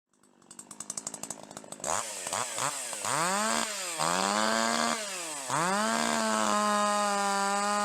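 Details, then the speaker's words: Older piston-ported two-stroke chainsaw without electronic control pops at idle, then at full throttle burbles and stutters (four-stroking, skipping firing beats) because the high-speed H-screw mixture is too rich. "A two-stroke engine fires every time the piston comes up. But if it skips a beat, that's called four stroking."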